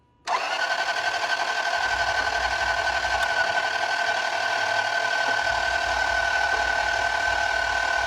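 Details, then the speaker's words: 2000 Toyota Land Cruiser non-runner cranking: steady high starter whir with almost no compression beat; air pushes out of the intake while the exhaust sucks in, and a jumped timing belt is suspected, with the timing cover to be pulled next. "Okay, now it's pushing air out of the intake. What's going on with the exhaust? Go. Oh my goodness. It was sucking my hand to the tailpipe. Air is supposed to move the opposite direction of that."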